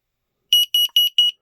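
Four quick, shrill beeps near 3 kHz: a carbon monoxide alarm passing its self-test.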